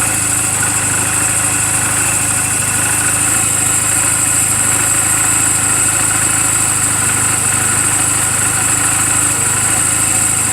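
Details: 2007 Honda Rebel 250 idling in neutral just after an oil change and valve clearance adjustment: a steady, even single-cylinder putter with a constant beat and no knocks or misses. The charging voltage reads about 13.0–13.4 V running. A normal, healthy idle.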